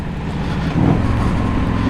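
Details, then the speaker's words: 1984 Harley-Davidson FLT Tour Glide V-twin at steady cruise in third gear, 35 mph, 2500 RPM, with an even low throb and no knocks or misses, running well in its first miles. "But this thing seems to be running good, which is again number one goal. Third gear, 35 mph, 2500 RPM."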